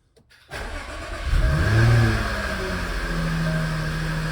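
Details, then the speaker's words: Jaguar F-Type (AJ126/AJ133 supercharged engine) first start after replacing the plastic coolant Y-pipes and supercharger coupler, coolant refilled: quick crank, catch and flare, then an even idle with no belt squeal. Healthy. "that sounds pretty good no belt squeal I'm going to turn it off and look for o uh gas and coolant leaks"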